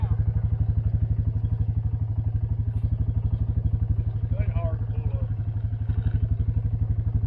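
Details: Repaired 1984 Honda 200 Big Red three-wheeler after sitting about 25 years: steady single-cylinder thump at about four beats a second, even and unbroken with no knocks or misses. Normal idle.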